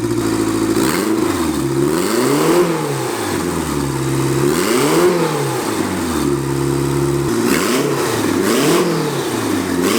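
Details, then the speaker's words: Quad-turbo Honda Civic build at first start, no blow-off valve fitted: repeated sharp revs, each throttle snap-shut followed by a fluttery chuff; turbo compressor surge. "there's no blow-off valve so we're gonna hear what compressor surge on for turbo sounds like"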